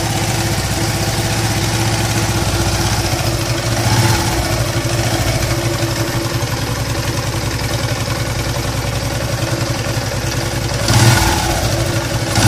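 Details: Yamaha LC135 motorcycle engine: a rough, droning hum at idle that swells with each throttle blip instead of a smooth tick-over.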